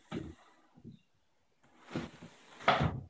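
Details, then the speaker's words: Restored sash window with new pulleys and cleaned running surfaces: lifted with one finger after the seal breaks, sliding smoothly with a seal squeak and light thumps at each end; operating properly. "once you break the seal you should just be able to lift it up and down with one finger you'll notice that sound that's the seal squeaking in yeah the top sash comes down again one finger"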